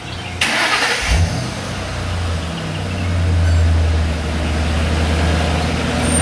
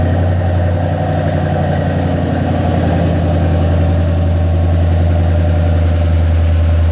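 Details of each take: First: 2008 Ford Mustang GT V8 cranked and revved: lumpy uneven beat stumbling with revs, a cylinder misfire most noticeable at higher rpm; ignition coil packs suspected, cause unconfirmed. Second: 2008 Ford Mustang GT after swapping ignition coil packs between cylinders to chase a misfire at higher rpm: steady, even low rumble with no stumble; all cylinders firing cleanly, engine running smoothly.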